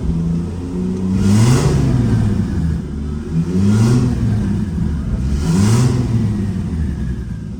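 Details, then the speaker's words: Nissan 240SX S14 with 2JZ turbo swap, hot, put in gear: revs swell three times with rough uneven drone; owner suspects clutch disc springs, out-of-round disc or throwout bearing causing vibration, source not confirmed. "there's that noise no went away so yeah I've got to track down what that noise is at some point"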